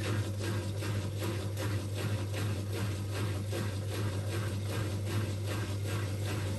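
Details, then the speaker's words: Old Migatronic W1 1613 washing machine, first test wash after rebuild (new stainless drum spider, new bearings), unused about a year. Low steady hum with rough rhythmic pulse a little over once a second as drum turns; owner suspects motor may be going, unconfirmed. "hear that noise there it's up one I'm on maybe the motor be are going maybe know could be this is quite an old machine"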